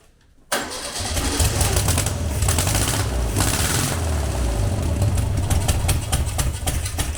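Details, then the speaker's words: Long-dormant 1200 VW Beetle air-cooled engine on a test stand, stuck lifter freed, no parts replaced, fed petrol; catches at once into a deep, fairly steady low rumble with no knocking; normal running. "hey that's sounded much better [Music] much better right that's brilliant"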